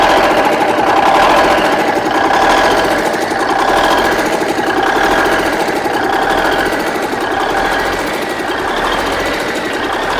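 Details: Rebuilt Big Cam Cummins NTC 365 diesel with a steady, loud, even clatter and a slight rise and fall in speed; it runs well with a little surge. Owner suspects idle adjustment or vacuum leaks, as the boost reference line is disconnected.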